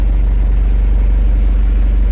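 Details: Ford Everest diesel started to check alternator charging after it failed: battery 12.4 V before, 14.3 V running. Smooth, deep idle with a constant beat, no whine, squeal or knock from the front. Normal idle.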